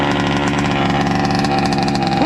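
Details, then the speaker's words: Rovan 29cc two-stroke Baja RC car, not run in 5 years and stored with fuel, second pull-start: fast, crisp, steady buzzing idle without stumbles; fuel system holds pressure, engine healthy. "There you go. Perfect idle."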